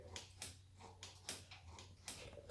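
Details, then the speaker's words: Boosted turbo crosskart, throttle bodies worked by hand through a new 80-90 inch universal throttle cable: about six light, crisp clicks in under three seconds as the plates open and snap shut. The linkage operates normally. "i figured i just run a cable from the throttle body i'll go ahead and function it real fast so i don't know if you can hear it"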